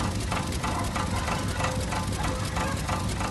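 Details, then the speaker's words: Peugeot at steady idle, soft even pulse, exhaust rattle gone after the loose exhaust was temporarily tied up with wire. "ó o barulho comigo parou"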